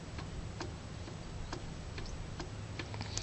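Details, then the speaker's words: Honda B100 outboard engine with about 1/8 inch of free play in the flywheel: light, irregular ticks about twice a second as the flywheel is rocked, over a quiet background. Loose flywheel. "just found that I have something like a eighth of an inch of free plate in the flywheel if you can hear"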